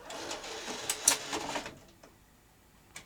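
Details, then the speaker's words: Sony BVW22P Betacam SP player loading a tape after an earlier slipping-belt-like sound: a short burst of even whirring and light clicks, then quiet as it laces; normal tape loading. "sounded better I think you should lace up now there we go that sounds like it's lacy"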